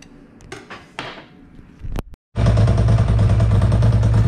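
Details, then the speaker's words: Ducati ST2 2V V-twin with Weber/Marelli 1.6M ECU: catches and settles into a lumpy, uneven idle; throttle bodies about six centimetres of mercury out of balance between horizontal and vertical cylinders, before adjustment. "i started the st2 up and it should sound funny it sounds funny to me it sounds like it's out of balance"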